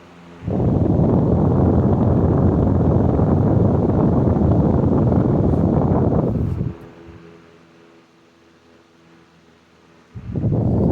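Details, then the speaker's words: Circa 1925 General Electric AOU-AE1 fan with pot metal gearbox, oscillator on: smooth, even airy whoosh with no gearbox grinding or clicking, stopping then starting again; running healthy. "You can hear absolutely no gearbox noise. It's wonderful."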